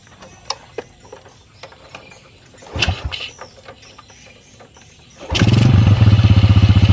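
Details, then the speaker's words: Yamaha Jupiter motorcycle that stalled and would not idle at low rpm, after throttle/idle adjustment; few knocks, then clean start settling into even, steady putter idle that no longer rises and falls: normal start and idle. "Oke ilang samya ini langsamnya dengarkan sendiri ya deket-deket Hai tampil enggak naik turun"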